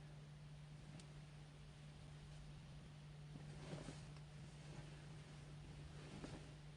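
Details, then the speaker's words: VW ID.3 82 kWh while plugged in and charging: a steady low hum at one fixed pitch under light wind, seeming to come from the rear; the hum lasts as long as the car is plugged in, source unknown. "but i hear that humming i don't know if you guys hear that humming after i plugged in plus the board okay after i plugged in and started charging i hear this humming"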